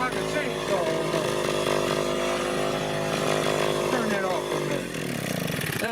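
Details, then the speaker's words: Vintage Echo PB-202 backpack blower, almost 40 years old, half choke, partly warmed, synthetic 2-cycle oil: crisp high-pitched two-stroke wail steady at full throttle, no misses; healthy engine. "insane right there, folks. Yeah, she got warmed up a little bit."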